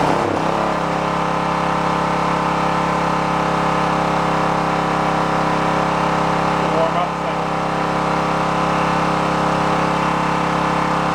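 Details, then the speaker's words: Onan K450 portable generator, yard-sale unit that sat a long time, warming after choke start while air-fuel mixture at the back is set: steady mid-pitched drone holding even speed with little hunting. "it seems I ran playing with the air fuel mix on the back is what's going on right now"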